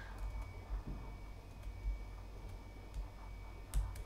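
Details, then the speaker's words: NAS RAID 5 array of 7200 rpm enterprise hard drives during file transfer: faint irregular ticking roughly thirty clicks a minute; normal hard drive seek clicking. "And again, you can probably hear the hard drive clicking in the background during this"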